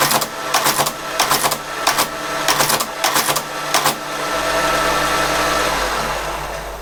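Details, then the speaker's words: Creed 7B Mark 1 teleprinter, carriage just refitted (wrong type, too close to paper): loud clattering print strokes over steady motor whir, then motor alone; printing mechanism working. "So I'll start it up. It's obviously quite noisy, so hopefully we'll see something."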